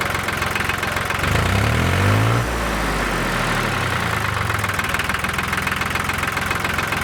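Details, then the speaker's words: John Deere 950 three-cylinder diesel tractor after a fuel filter change and bleeding (a plugged filter was found; it used to miss once warm): diesel clatter settling into an even idle after a brief rev. Normal idle. "all right sounds good i'll have to have to work johnny a little bit to see if he's running a lot better"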